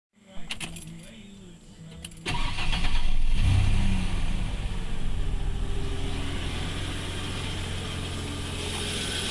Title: This is What a Bad Harmonic Balancer sounds like on a 1994 F150